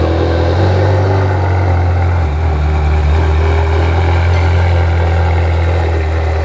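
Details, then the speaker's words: Ferrari F430 at idle after removing the pops-and-bangs tune that caused surging: deep, steady idle with a slight lift partway and no rising-and-falling hunt; holds speed smoothly. "hmm well it sounds like it's not doing the surging so that was the problem is the original tune they're trying to do some of the pops and bangs"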